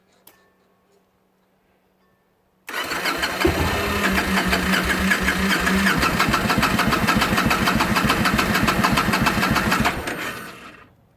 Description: 2009 Victory Kingpin, hard starting after running, then stopping for 10 min, then starting again.